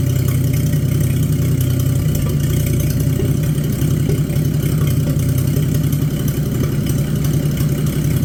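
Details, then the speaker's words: Abandoned, mouse-damaged Chevy 216 inline-six from a 1950 Chevy 1-ton truck restoration: steady low idle with an uneven, lumpy beat and one cylinder sounding down. It is still using oil, smoking and running poorly; rough running, cause suspected, not confirmed. "now this engine here is actually better than I thought it was going to be but uh it's still not good still using oil it's smoking and it's not running the greatest"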